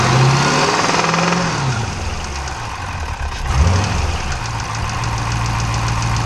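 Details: 392 V8 engine at 1,400 miles, idling: heavy fairly even knock about three or four beats per second, sounding diesel-like like a Cummins; cause not yet found.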